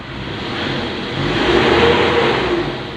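Engine revs up smoothly, holds and eases back down with no misses or knocks; it runs normally.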